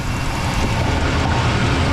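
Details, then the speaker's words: 1968 Oldsmobile Delmont V8, started after a few pedal pumps following a week of sitting, before its oil change: deep, even idle rumble with no knocks or misses; normal idle. "sounds good so we're gonna take her over to the house now"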